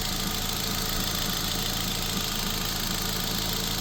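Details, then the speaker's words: 2006 Nissan Sentra 1.8L automatic, A/C off: a light, fairly regular tap about three times a second over a smooth idle; ticking in the top end, owner wonders if lifters, cause unconfirmed. "It's just the motor. I hear it tapping. You hear that tapping?"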